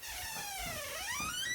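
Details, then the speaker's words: Squeaky master bathroom door hinge, heard as the door slowly opens: high wavering squeal that dips and climbs as the door swings, a dry hinge before it is oiled with edible vegetable oil spray. "everytime in the night when someone just slowly opens the door makes that really annoying creaking sound"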